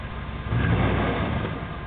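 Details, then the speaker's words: 1994 Jeep Grand Cherokee with 318 V8: deep, loud, open idle rumble with a raw blatty edge, sweet spot around 1600 rpm, because the tailpipe broke off; repair postponed. "Well, that's what a Jeep sounds like with virtually no tailpipe on it. It broke off."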